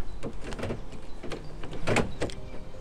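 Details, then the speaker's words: Land Rover Freelander 1 front door lock actuator tested after cleaning the motor commutator; several short, crisp motor buzzes with clean stops as the key lock cycles, no grinding or stalling, working properly. "so first of all check that the key locking works"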